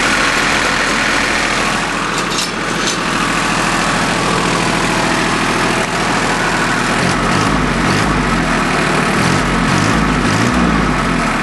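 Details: Small Yanmar diesel with three injector lines, just restarted after air was bled from the whole fuel system following a fuel filter change that left it unable to start: loud, steady clatter at an even idle, no hunting or stumbling, running normally.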